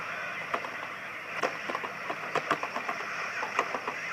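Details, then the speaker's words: Oscillator at about 11.14 MHz, heard on a radio with the microphone near it: irregular knocks on the table each jolt the receiver's hiss as vibration is modulated into the signal: microphonic phase noise. "so what's happening is that the vibration from smacking to the table stuff like that is being accidentally modulated into the signal being produced by the oscillator"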